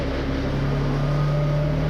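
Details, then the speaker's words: Wrecked 2021 Yamaha Vino clone scooter after removing a faulty kickstand switch: steady low drone with even pitch and no misses, knocks or sputtering, running cleanly just after firing up. "Fires right up."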